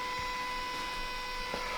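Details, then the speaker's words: Turbo Toyota GR86, port-injected, after fitting a DeatschWerks 300c fuel pump and 1050cc injectors, in a quiet garage: a loud, steady high-pitched electric hum for a couple of seconds as the pump primes at key-on, then stops right away, as it should. "Yeah, it's fuel pump. Shit's loud. But it stops right away."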